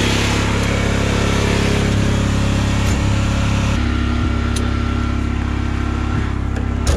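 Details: Generator in a bus-to-RV conversion fed by a new 12 V 5.5–9 psi fuel pump, checking the carb needle valve against that pressure. Steady even low drone, no surging or dropouts. Runs normally.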